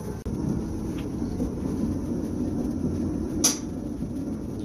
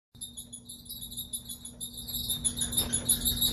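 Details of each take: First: Kenmore 600 series dryer after replacing drum support wheels, belt and tensioner: steady, even low rumble from the turning drum, no squeak or rhythmic chirp; running smoothly after repair. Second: Kenmore dryer running: rhythmic high chirping squeak about three times a second from worn, debris-filled drum support wheels; fixed by replacing wheels, belt and tensioner.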